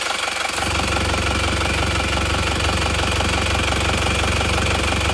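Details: Original, unrebuilt engine at idle, cold, dipstick pulled, crankcase vent routed rearward instead of to intake manifold: rapid rhythmic puffing about three per second with smoke from the dipstick tube; no tappet noise; heavy crankcase blow-by.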